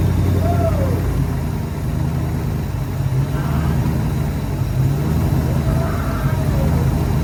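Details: SN95 Mustang competition drift build just started for the first time after fuel pump replacement, no coolant in the system so run briefly: loud, even low rumble at steady idle with no misses or knocks; normal idle.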